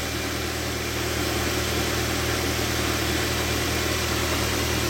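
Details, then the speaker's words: Car idling after jump-start from a motorcycle, motorcycle off and positive cable removed: steady even idle, engine keeps running on its alternator, no misses or knocks. "plusnya dilepas dulu nggak masalah ini tidak mati mesinnya ya karena masih ada alternator ya dinamo jalannya"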